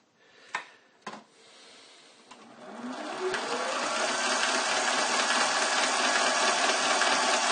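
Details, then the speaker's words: Machining brass for a hammer, change gears just swapped back from tapping gears, 3 thou light cut: motor spins up to rising whine with busy gear chatter on top; noisy change-gear train. "Never sounds good, those gears, do they?"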